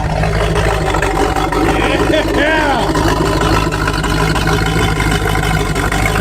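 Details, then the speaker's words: Marine engine (outdrive off) run on old fuel: deep, steady V8 rumble with no knocks or misses, 40 psi oil pressure, charging; runs healthy. "oh it sounds good let's go get a listen"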